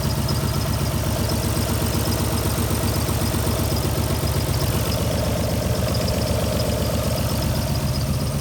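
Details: Alfa Romeo GTV V6 started after months parked: uneven, lumpy idle pulse about two to three beats a second stumbling off rhythm; misfire suspected, unconfirmed.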